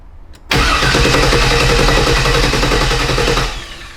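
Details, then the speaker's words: 1982 C3 Corvette, LS-swapped barn find that sat a long time: fast, even cranking with steady compression pulses for about three seconds. It never fires; cranks but no start. "I don't think it's blown. It cranks. >> Sounds like it has compression."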